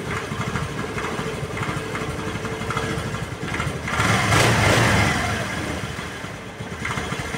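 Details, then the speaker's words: Honda Vario 110 (KVB) carburetor scooter before any disassembly, restarted: idle is lumpy and uneven, rpm sagging then swelling, nearly dying; an unstable idle. "Ya, hampir mati dia kan. Nah, ini rasamnya dia juga sudah ginjal-ginjal ya, enggak stabil."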